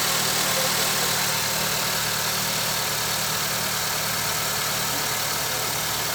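Steady idle with a fast, fairly regular tapping about four times a second riding over the engine; knock present, source undetermined.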